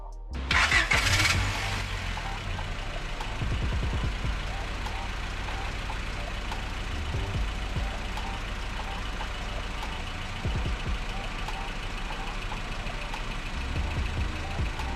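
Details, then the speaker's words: 1997–2001 Honda Prelude with JDM H22A swap, just after replacing the failing fuel pump: engine catches quickly after a brief crank and settles into a steady, even idle with no misses, under background music; healthy running. "Alright, so after replacing the fuel pump, it's already nighttime. Now let's start her up."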